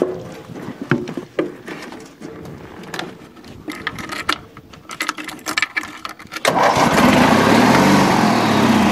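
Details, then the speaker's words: Old Bolens small tractor just acquired, runs, drives and deck spins: after clatter and handling noise the engine catches at once and settles into a steady, even run; healthy, normal running. "Got this old Boland's, and it runs good and it drives good, and even the deck spins."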